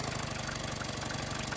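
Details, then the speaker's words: Yamaha 9.9/15 hp outboard after primer bulb replacement, idle speed screw turned down and mixture screw at 2.5 turns: quiet, slow, even putter at low idle, close to cutting out; water stream stops at this speed, impeller suspected. "That sounds a bit more like it. Just before it cuts out, really."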